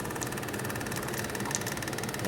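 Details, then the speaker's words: 1984 Kawasaki KLT 200C three-wheeler at the start of a rebuild, cranked with the clutch pulled in to check spark: weak, even churning with soft rapid pulses and no catch. Slow cranking from a low battery; spark was present. "Ah, okay. I don't really have much juice going on."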